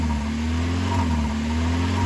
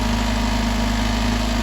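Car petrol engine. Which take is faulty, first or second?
first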